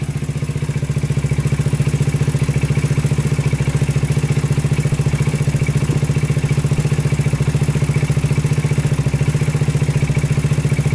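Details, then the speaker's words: 2000 Honda 400EX quad single cylinder, after it locked up on its first ride and restarted with a new battery: rough idle with dull regular clatter three to four per second before it stalls; owner suspects overheating piston seizure. "foreign yep there it goes just shut off right there um so i think something's going on internally"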